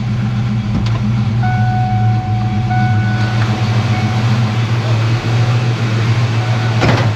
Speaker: Here we go. [Applause] Look at that. Right to idle.